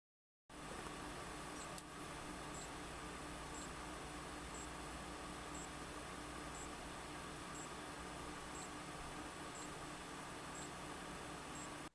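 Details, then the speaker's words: Fujifilm X-S20 with 15-45mm kit lens and compatibility-listed Nextorage SD card: the internal mic records a faint, high-pitched beep once a second from inside the camera over quiet room hiss while recording video. "discovered that when recording video the internal mic is picking up an internal beeping sound it seems to be going every 1 second"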